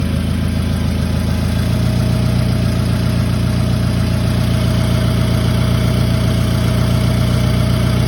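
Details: Toyota Camry petrol engine idling steadily with a light intermittent ticking that comes and goes over the low hum; owner does not know the cause.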